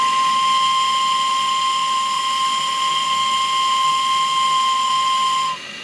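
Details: RC steam tug Côte d'Émeraude (Stuart D10) at just under 3 bar: a clean, steady high whistle holds about five seconds over a soft engine purr, then cuts off; the whistle sounds healthy.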